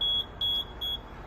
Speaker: what we're looking for right now is we're going to the alarm panel and we just want to hear beeping and we look and make sure that there's two valves that were turned